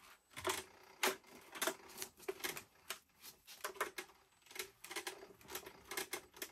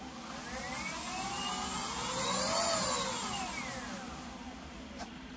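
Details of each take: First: Leaperkim Sherman electric unicycle, switched on and rocked: irregular sharp metallic clinks, two or three a second. Axle bolts first seemed tight, but the clunk is traced to a loose axle bolt, to be retightened. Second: Leaperkim Sherman electric unicycle after tightening the loose axle bolt and aligning the new tire: smooth hub-motor whine rising and falling with wheel speed, with no knocking, scraping or rubbing. The earlier noise is gone.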